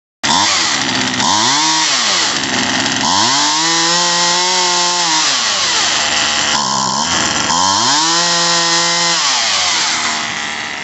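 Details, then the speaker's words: Poulan Wild Thing 2375 LE chainsaw after carburetor, fuel line and primer bulb replacement, during carb adjustment with tank nearly empty: revs surge and sag repeatedly; lean running from fuel starvation, sucking air. "plus i i'm actually very low i didn't have any gas so i'm probably sucking air at this point yeah i'm sucking air"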